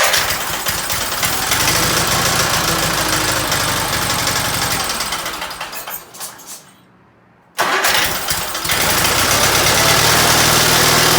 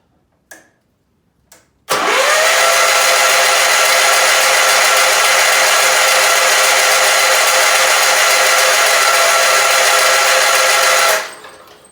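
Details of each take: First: Case 446 "Big Wheel" lawn tractor twin, barn-stored several years, after removing carburetor air-filter screws that fell in and held valves open: cranks, catches, brief cut-out, then steady even rumble, no knocks or misses; normal running. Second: Case 446 lawn tractor barn find sitting several years, cranking with starting fluid: about nine seconds of fast, even whirring cranking with no resistance or firing; owner suspects very low compression, not confirmed.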